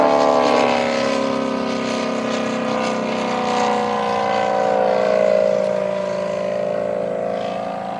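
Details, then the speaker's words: 50% scale Bucker Jungmeister RC plane in flight: big single-cylinder engine droning overhead, note wavering and uneven; engine then quit on its own, later traced to a bent pushrod. "Something doesn't sound right. Something came loose."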